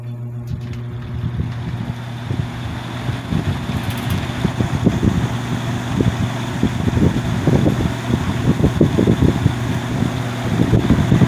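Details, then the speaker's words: Lakewood X22 vintage box fan, unserviced, on high speed: low hum with uneven thumping pulses growing as it spins up, typical blade wobble; fan out of balance. "okay so the fan is fan is out of balance I'm only going to run this very briefly"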